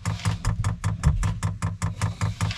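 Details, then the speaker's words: New diesel heater on an Etap 30 sailing boat, fuel dosing pump priming before the lines are full of diesel: sharp, even metallic knocks about five a second; an obnoxiously loud banging pump, may need replacing. "the pumps for these things are fairly obnoxious in terms of they have this like banging kind of sound and yeah I've got to be honest despite knowing it was coming I still wasn't prepared for how obnoxious the pump is"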